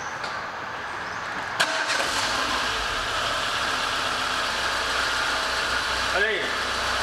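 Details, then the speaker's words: 2015 Renault Logan after a new timing belt and seals, first start once assembled: it cranks and catches at once, then holds a steady, even idle with no knocks; it runs normally, with the valves to be adjusted next. "galera terminamos de montar aqui o Logan carro ficou Fantástico eu vou ligar aqui para vocês agora"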